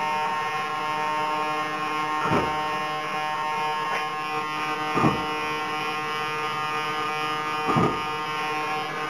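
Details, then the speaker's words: Hobby King 15298 high-voltage digital coreless servos with Orange R910 receiver and satellites, JR 9X2 transmitter with Spektrum module: constant high electric buzz with sharp twitch every few seconds; aileron servo jitters at all travel positions, cause under investigation. "You can certainly hear, if not see, that jitter. And that happens at pretty much all areas of its travel."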